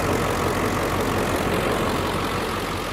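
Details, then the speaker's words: 2003 Ford Excursion Limited with 7.3L Powerstroke diesel, hood open: steady diesel clatter at an even idle beat with no knocks, misses or hunting; healthy diesel idle. "Nice and clean underneath. You can hear it running."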